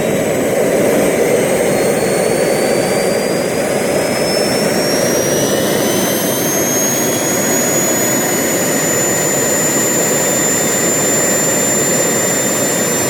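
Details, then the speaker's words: RT130 model jet turbine after rebuild, spooling up: loud jet roar with a thin high squeal that climbs then holds; compressor wheel rubs the front housing, which owner thinks prevents reaching the set maximum of 120,000 rpm. "there are nuances in the front, they are screaming when it touches a little and most likely I think that it hurts this does not allow the turbine to develop maximum speed of 120,000 as it was set"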